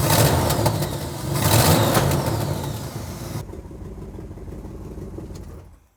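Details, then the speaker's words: 350 small-block Chevy in a 1964 Impala after top-end and oil pan reseal, 34° total timing, leaned idle mixture, choke adjusted: couple of throttle blips then settling to smooth even 700 rpm idle without stumble; healthy. "So the idle's at 700."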